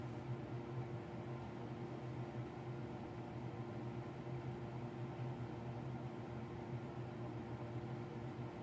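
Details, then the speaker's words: Apartment bathroom exhaust fan with replaced wall sensor switch, running at 2:38am though last shower ended by 10pm; only kicks on when there's no moisture: steady low hum with even, unvarying airflow hiss; fan running without demand, sensor switch suspected. "the fan is still going last shower was finished and we were out of this bathroom by 10pm it didn't come on during the shower and it only kicks on when there's no moisture in here"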